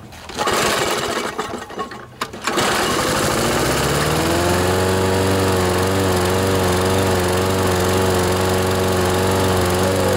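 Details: Briggs & Stratton 7.25 hp on a Toro Recycler 22-inch mower, came in oil-soaked and not starting, after overfill found and old Champion spark plug refitted: rough cranking, then catches and runs even and steady; healthy.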